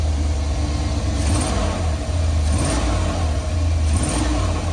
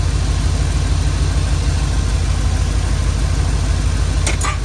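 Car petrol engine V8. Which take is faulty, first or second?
second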